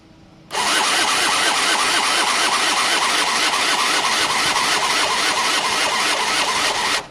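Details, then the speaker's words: Gilera DNA 50cc scooter that won't start, with fuel squirted in and ignition wired up: fast even starter whirr for about six seconds with no firing; cranks but won't start, no spark seen, CDI suspected. "Still can't see spark, guys. Nope, can't see it, can't feel it, can't hear it. Nope, no spark."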